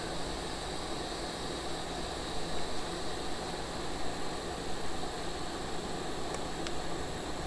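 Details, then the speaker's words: Late-1990s Wood-Mizer LT15 sawmill engine, long unused, after maintenance: starts and idles with a faint steady even hum, no misses or knocks; normal start and idle. "she's alive all right let's run just a second sounds good oh how about that yes it will crank yes it will start"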